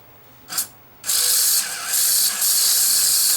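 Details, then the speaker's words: Sony SL-HF500 Betamax, 711B chassis, won't load tape: short whir then high, buzzing ratchety whine that stalls and surges as the loading motor strains against a jammed front-loading elevator mechanism. "I think the front loading mechanism might be jammed on this hopefully it's not broken"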